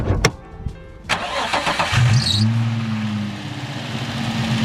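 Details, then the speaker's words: 2006 Nissan 350Z: engine catches and idles with a thin steady squeal; owner says the AC belt squeaks a little every morning; belt shows no cracks, owner suspects it needs re-lubricating. "the ac belt squeaks a little bit the car is warm right now because i drove it here but i will put a little clip i get every morning basically"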